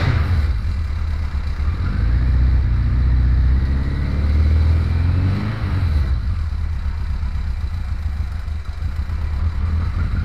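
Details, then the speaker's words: 2001 Kawasaki KZ1000-P cold start after over six months unused: revs rise and fall with a dry mechanical rattle over the exhaust, the cam chain, overdue for replacement. "this bike was always kind of cold-blooded as it was and you can hear that rattling sound from the engine is the cam changed damn shame makes a bit of noise it's kind of overdue to be replaced"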